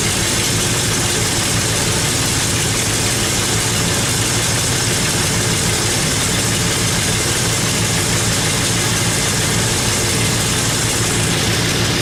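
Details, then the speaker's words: Chevrolet El Camino at idle: a sharp, raspy hiss puffs with each firing over the engine rhythm, from an exhaust leak at the manifold, where the rear flange bolts were missing. "The funny thing about this is that there's an exhaust leak on this manifold over here."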